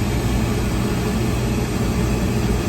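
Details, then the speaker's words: Brand new Trane rooftop unit with no heat, after a faulty draft inducer plug was cut out and wires spliced: steady low fan hum, even and unbroken; draft inducer spinning up and running normally before ignition. "All right, here comes the draft inducer."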